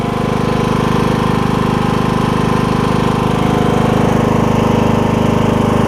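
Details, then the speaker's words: John Deere E100 mower, 17.5hp Briggs, about 81 hours, after camshaft replacement for hard starting: steady, even single-cylinder thump at fast idle with no misses or stumbles; starts easily, even from cold; running cleanly. "I do want to show you how easy it starts now well it did it's just light even when I cold started this morning it was just like blue right off the bat so that's excellent"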